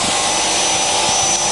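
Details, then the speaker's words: Tatry used radial arm saw for aluminium cutting, switched from hold-to-run to continuous running: steady, even high-pitched whir over a constant hum, no knocks or speed wobble; saw motor runs smoothly and healthy. "basically now when I push this or that, it'll run continuously. So now it's running continuously. So there it is running,"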